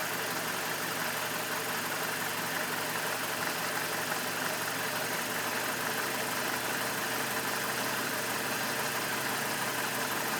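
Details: BMW E46 with N42 engine idling, recorded close to the engine with the MAF unplugged: lumpy, irregular idle with clattery top end; still rough, cause not yet found.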